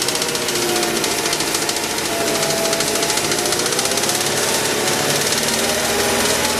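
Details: Mazda 6 engine: fast, light ticking over a thin, busy engine hum, a knock in the motor; owner asks what causes it, cause unclear by ear.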